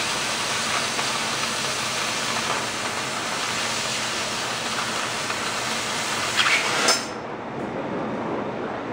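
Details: Oxy-fuel cutting torch with a small tip, cutting at a fast travel speed: steady loud hiss with faint crackling, then a sharp cutoff; properly adjusted torch making a decent cut with heavier slag.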